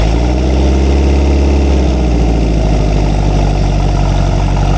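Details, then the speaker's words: Rare experimental 4-cylinder big-block engine, revived after 15 years and run hot after ignition timing adjustment: an even idle with a deep low rumble; the knock-like thump is exhaust echo, not rod knock. "Sounds like rod knock, but it's the exhaust echoing."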